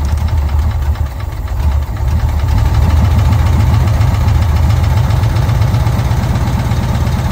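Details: VW Kombi air-cooled four after a carburettor jet change, settling at idle while the air mixture is set: low, loping putter with nothing rough or knocking standing out; normal idle.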